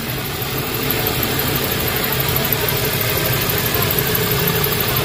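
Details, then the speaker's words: Hyundai Getz after replacing a cracked transmission mounting bracket that caused strong engine vibration: petrol engine idles fairly quietly and evenly, no shudder or vibration rattle. "Ayan medyo tahimik yung andar automatic lock pala to"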